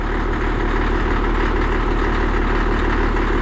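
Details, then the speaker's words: Caterpillar D6D dozer diesel, which fired right up: a steady, low idle rumble at about three even beats a second with no knocks or misses; normal idle. "it actually fired right up I didn't get it on video but it started pretty dang good"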